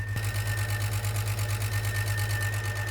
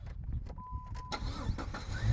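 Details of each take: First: Jeep with a 350 after a camshaft sensor fix, one of its first runs, oil not changed: steady idle with a light, even tick about three per second from the top end. It needs a muffler; the cause of the tick is unknown. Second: Jeep with a 350 engine and good transmission, started in park: engine catches quickly and settles into a low, even idle with no ticking; sounds healthy, normal start and idle.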